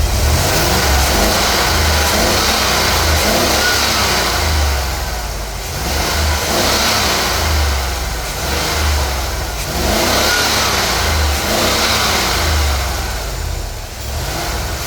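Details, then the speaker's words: Car engine revving up and down with an uneven, stumbling misfire pulse. The owner identifies the ignition coil as the cause of the misfire. "What I want y'all to see, this is the cause of my misfire. This is the coil on my vehicle."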